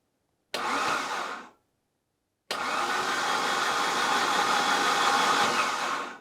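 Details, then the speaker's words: 1980s Saab 900 Turbo Commander, parked running 10+ years ago, first turnover with spark plugs removed: two bursts of fast smooth starter whirring without compression pulses or resistance; engine turns freely, not seized. "This is sounding really nice. Remember, there are no spark plugs in it at the moment, so there is not supposed to be any resistance, and it really sounds that way."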